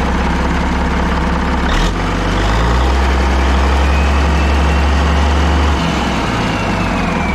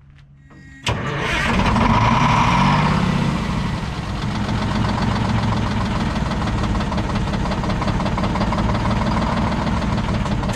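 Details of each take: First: Caterpillar 3406A diesel, long-sitting, first start with external fuel buckets, bypassed hand primer, no coolant: deep, even, strong idle with no knocks or ticks, about 50–60 psi oil pressure; healthy engine. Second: Old Detroit Diesel 6-71 two-stroke, last run before removal: cranks, catches and settles into a rough, uneven beat with a regular skip about four a second and heavy shaking; one cylinder not firing, dumping raw fuel out the exhaust.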